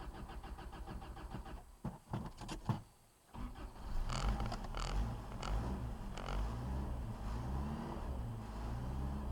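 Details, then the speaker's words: Toyota 22R with Weber 32/36 carburetor, 7,000 miles on rebuilt motor, cold start at about 10 degrees after sitting overnight; catches, sags and nearly dies, uneven under light throttle on high idle: cold idle stumbling. "A couple steps on the gas pedal. If I don't, she'll do that, and I'll have to start all over again."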